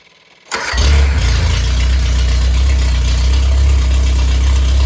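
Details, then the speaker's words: Rebuilt MG Midget/Triumph Spitfire 1500 performance engine, balanced, shaved head, flat-top pistons, enlarged intake valves, 270 cam: catches on the first try and runs strong and steady with no knocks or ticking, then revved slightly; normal running. "So I'm going to let I'm going to run it, let you hear it per I'll speed it up a little bit so you can hear that."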